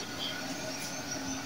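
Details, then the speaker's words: Sanken water dispenser under repair for not heating, 3 to 5 minutes after switching on: soft, even bubbling hiss with fine crackle and no low rumble, like water boiling in the hot tank; heater working normally and steam comes out when poured. "ya bisa terdengar ada suara seperti air mendidih di dalam dispensernya dengaran sahabat-sahabat semuanya"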